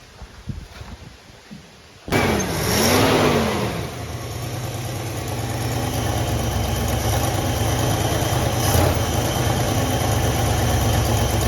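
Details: 1966 Plymouth Fury III Poly 318 V8 after new coil, plugs, distributor cap and carburetor work, with a dirty fuel filter: catches after a short crank, settles into a steady, deep, even idle; running properly.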